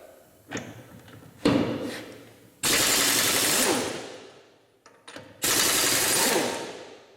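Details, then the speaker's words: Ingersoll Rand 285B 1-inch air impact wrench after repair with a polished anvil: two strong, fast rattling hammer bursts with full air flow; it works, with a slight leak at loose air fittings. "I think that's affirmative that it works."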